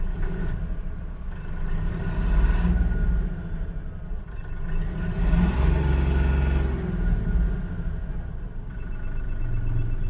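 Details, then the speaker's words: Mahindra Bolero Neo diesel, restarted after fault codes were cleared, with the check engine light off. A deep rumble swells under light throttle with uneven knocking and engine and body vibration; cause not confirmed, with the rail pressure sensor suspected. "पर car के अंदर अभी भी वैसे ही knocking है। Engine के अंदर पूरा वाइब्रेशन है।"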